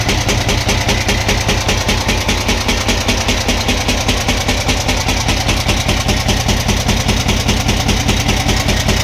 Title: camc engine knocking sound